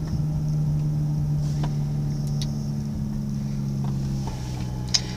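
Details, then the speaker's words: 2005 Mazda RX-8 rotary, day and a half after rough idle, flashing cell and white smoke following redline runs; owner suspects coils, others a coolant seal leak: starts promptly, smooth even idle, steady low note, no stumble or vibration; normal idle. "you see it start off right away and today I'm not getting a rough idle no vibrations"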